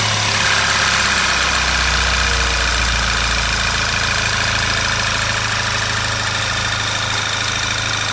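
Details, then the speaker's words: Sixth-generation VW Golf GTI 2.0 TSI petrol (CCZ) after repair of knock from foreign object in cylinder, stock intake restored; steady even idle, smooth hum, no knocks or ticks, runs like clockwork. "двигатель запущен работает не стучит не шумит просто часики"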